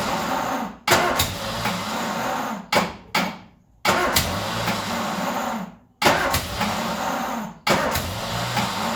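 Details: Ford Escort revived after 14 years neglected catches on starting spray in short ragged bursts that stumble and die off and never settle to a steady idle; rough running, fuel supply not keeping it running.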